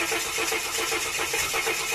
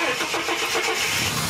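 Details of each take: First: Ford AU Series II Falcon (stalls and misfires when warm), cold crank after a new crank sensor was fitted: starter turns over evenly at about 4–5 pulses a second but doesn't catch. It never starts first try cold and needs a second attempt. Hard cold start. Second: Ford AU Series II Falcon that stalled and misfired once warm, after replacing a damaged part: brief crank catches quickly into clean steady idle without stumbling; problem fixed.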